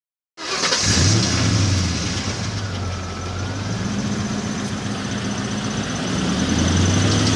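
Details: 2002 Mustang GT V8 revs briefly then settles to idle with fast light ticking over the exhaust note; owner suspects a manifold gasket, unconfirmed.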